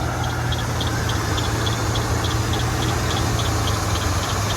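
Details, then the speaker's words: Truck started with a jump pack after sitting about a year (earlier developed a bad squeal): light regular tick about three per second over steady low idle; something doesn't sound good, source unknown. "There she is. Something doesn't sound good."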